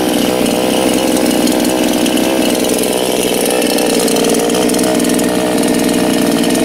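Chainsaw engine fires and holds a steady, even buzzing run with no misses or stumbles; healthy two-stroke running.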